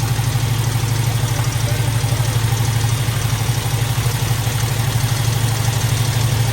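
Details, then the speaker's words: Squarebody Chevy at idle: a quick, light rattle about three per second over the low rumble. An exhaust valve is sticking on the second bank, one cylinder back, the same fault as the first side. "But it's an exhaust valve, same deal."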